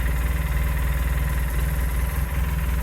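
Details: Polaris Sportsman 600 twin ATV idling after repair from non-running and a battery terminal fix: a steady, even low idle pulsing about four times a second, with no knocks or wobble. It runs cleanly.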